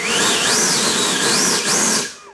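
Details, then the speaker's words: FMS 70mm Viper V2 EDF jet, new build, 80A ESC, 12-blade 70mm fan, motor run-up test before flying: high smooth whine rising and falling cleanly with throttle, spooling down without rattle or stutter; normal motor run-up, plenty of power. "oh that thing's got some power that thing's going to rip guys"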